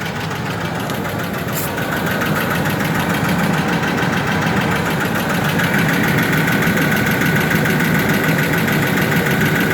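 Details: Ford F150 4.2L with an already rebuilt engine, idling steadily with a light, fairly regular tick about three to four a second over the engine hum; source undetermined.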